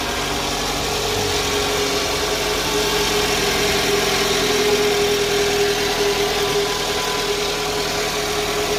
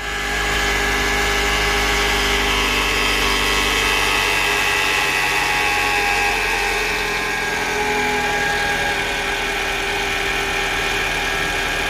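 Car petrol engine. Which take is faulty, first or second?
second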